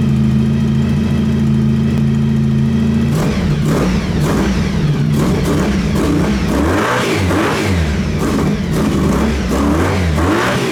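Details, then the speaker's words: Honda VF1000 V4-powered buggy after work on the engine, idle turned down: even idle then crisp rising and falling revs without stumble; a ticking noise noted; owner thinks it runs on all 4 cylinders but isn't sure. "It's running better. It seems to be stronger. It sounds like it's running on all 4 cylinders, but I'm not entirely sure."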